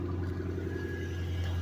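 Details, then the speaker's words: 2008 Bullitt Mustang salvage-auction car at startup: deep, even V8 burble at idle with a steady low hum and no ticks or knocks. Sounds like a good engine, though a leaking radiator limits running to about a minute; normal idle. "Just go ahead and starts up. It's a nice Sounds like a good engine."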